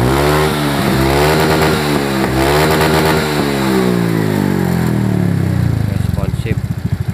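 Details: Honda Beat FI injection scooter engine idling after valve clearance was set to standard to cure a noisy top end. Even, steady single-cylinder idle with no tapping or clatter; sounds healthy.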